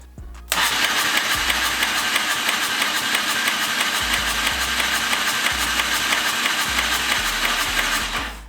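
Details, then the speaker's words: Turbo EFI lawn mower engine, salvaged from a quad that caught fire and never seen running, turned over on the starter: uneven, lumpy cranking with irregular dips and no catch, a cylinder losing compression. "first of all it doesn't sound good for those of you who don't remember this motor was on fire at one point was in a quad that caught fire and then i never touched it i didn't ever see it running"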